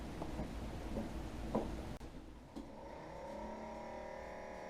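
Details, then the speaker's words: Coleman 12-volt cooler (model 5640) after replacing the fan motor with a Mabuchi RS-365SH: after handling clatter, a steady, smooth hum with a faint higher whine. It is slightly louder than before, possibly because the new motor is stronger. "Seems a little louder than before."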